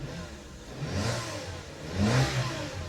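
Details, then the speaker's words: 2002 Citroën C3 petrol (50,000 miles) running after a starter motor replacement: two clean revs rise and fall smoothly from a quiet idle with no misses or rattles, and the engine responds normally. "That's nice, isn't it? They can drive the car now. Look, a bit of throttle."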